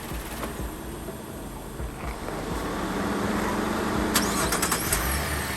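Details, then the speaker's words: 2015 GMC Acadia after replacing bad coolant temperature sensor and topping up coolant (previously fan always on and hard start): restart catches quickly, settles into steady even idle with no stumbling: normal start. "let's go ahead start it up marge cool so that'll take care of our check engine light that'll take care of our issues and the starting"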